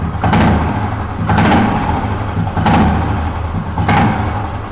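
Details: Fully restored 1971 Royal Enfield Bullet single with its original exhaust system. It idles with a deep, even thump that swells gently about once a second, with no ticking or knocking: a clean, healthy idle.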